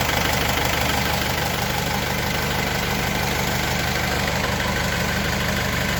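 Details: Mercedes W210 diesel idling with AC compressor engaged during R134a recharge after an AC-not-working complaint: steady, even idle, no knocks, squeals or rattles; normal idle with compressor running.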